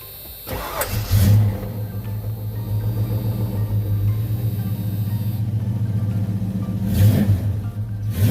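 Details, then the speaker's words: 1986 Ford Mustang LX Foxbody V8 after high-torque mini starter install and new battery cables, manual in neutral with clutch in, not run in a while: brief crank, catches at once, settles to steady low idle with small rev; normal start, some oil smoke. "Actually, while you're recording, Sleepy, it's smoking, but it hasn't ran in a while."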